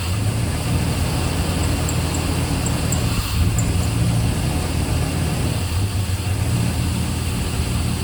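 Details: Work truck after roadside breakdown repair, top cover off, checking for leaks before oil and fluid change: steady low rumble at even idle, no knocks or misses; sounds healthy and settled.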